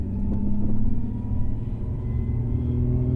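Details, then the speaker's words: Newly installed Jim Wolf Technology clutch kit with HD slave/CSC, after break-in, driving uphill in gear with engine under load: heavy low rumble with an uneven shudder underneath, clutch chatter under load, likely clearer in third gear. "the other thing is let's go up the hill and I'm gonna put the engine on the load and then you'll hear the chatter"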